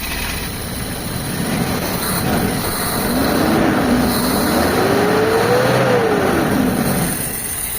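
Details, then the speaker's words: Carbureted Toyota HiAce van with hard starting in the cold morning, just started after carburetor cleaning. Engine revs up and down a little unevenly; carburetor out of tune, later tuned along with the distributor. "so itotono lang natin mga bossing yung carb so wala sa tono yan mga boss"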